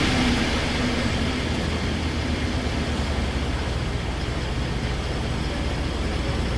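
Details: 2016 Ford F-150 3.5 V6 at first start after the correct starter was fitted; still a little smoke from burning fluid. Smooth, steady drone that holds even through the rev with no knock, tick or stumble. Normal running.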